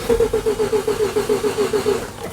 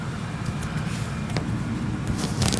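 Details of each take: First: 1988 Mazda RX7 rotary, weak battery: steady starter cranking about eight even pulses a second, never fires; injector test light doesn't blink while cranking, so no injector drive. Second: 1988 Mazda RX7 rotary that won't start: one injector energized by hand with the microphone beside it gives sharp, irregular clicks, showing the pintle moves, though not proving it injects.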